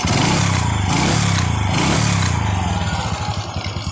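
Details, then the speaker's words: Small motorcycle running on four aftermarket (KW) parts after the carburetor air screw was set (turned in fully, then out about three turns): quick even exhaust beat easing down smoothly, no knocks or rattles; runs very smoothly. "ini udah hidup ya teman-teman banyak halus suaranya walaupun menggunakan empat KW"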